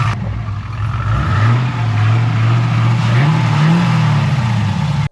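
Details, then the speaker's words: LS-swapped Infiniti G35, first startup after new MSD plug wires, jump-started: deep V8 burble hunting unevenly at idle, pitch drifting; rough, possibly misfiring, no codes, owner suspects old fuel or wrong fueling. "but it ran like shit. And to be honest, I don't know why. It kind of sounds like it's still misfiring a little bit."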